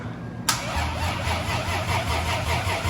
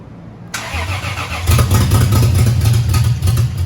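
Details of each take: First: Lexus IS300 turbo build with freshly rebuilt engine, first start attempt after almost a year: sluggish, labouring crank with uneven chugs that nearly catch but never fire; battery, possibly charged on wrong settings, is too weak. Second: Lexus IS300 turbo build, rebuilt engine's first start after almost a year on a swapped battery: brief crank, then catches into a loud, raw, even idle with open exhaust manifold; oil pressure present, sounded good.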